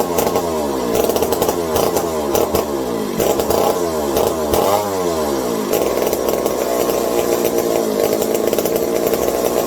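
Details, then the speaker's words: McCulloch 740 chainsaw after coil gap fix and swapped spark plug: fires and revs up and down repeatedly, crisp with no stumbling; runs well. Owner hopes no air leaks; loose carb linkage wants to hold about quarter throttle and may run lean. "She's a runner. Good sounding one too."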